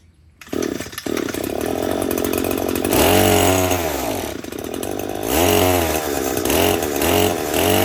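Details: Echo SRM-225 two-stroke string trimmer that runs only on full choke, refired after a carburetor rebuild; revs high, then sags and surges in waves, sounding lean, and the rebuild did not fix it.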